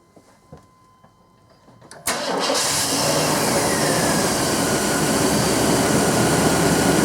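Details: 1997 GMC 1500 5.7L Vortec V8 after fuel pump and plugged canister fuel filter replacement: starts at once and settles to a steady, even idle with only a faint flutter, much better than before; fuel pressure holding, running properly.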